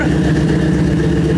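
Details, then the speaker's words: 1953 Buick idling after new tailpipes were fitted (exhaust used to dump out right after the muffler): deep, loud, even exhaust rumble with regular low pulses; still loud but sounds better; loud exhaust note. "Before it was just dumping out right after the muffler. So it sounds a little bit better."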